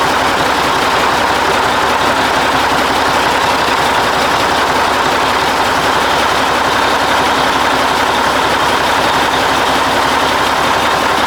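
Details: 1980 Mack FR700 diesel truck idling after restart, following an oil leak fix and first start in 10+ years: steady, even clatter and rumble with no knocks, misses or hunting.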